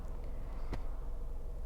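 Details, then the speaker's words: 2011 Suzuki Swift 3-door manual petrol at idle in neutral, clutch released: low steady rumbling growl that disappears when clutch is pressed; owner suspects worn gearbox input shaft bearing. "When I press the clutch, the sounds the sound just goes away. The the sound just goes away. The car is right now in neutral. Yeah. And when I remove my foot from the clutch pedal, see the growling sound comes back."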